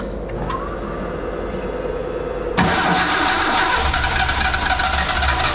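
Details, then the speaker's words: Nissan Sunny truck (Datsun 1200) newly converted to EFI with a Haltech setup, starting on a basic untuned base map: the starter churns about two and a half seconds before it catches and runs unevenly; the tune still needs work. "it's on a nothing program oh it's [Music] Dy that sounds really good [Music] it's got some [Music] tone so I'm got to put little bit more work into the tune"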